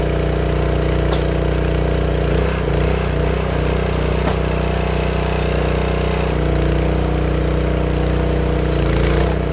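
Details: Honda GX160 log splitter engine after replacing the failing spark plug that caused popping when warm: steady, even beat with no popping, coughing or misfire; running healthy.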